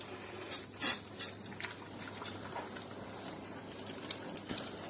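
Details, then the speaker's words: Combi boiler heating radiator being bled with pressure raised to about 2 bar: steady hiss with sharp spits and sputters as trapped air escapes the bleed valve, showing air in the radiator. "Yes, you see, the air inside is B. If you hear such a sound, know that it is inside. The air is coming out ."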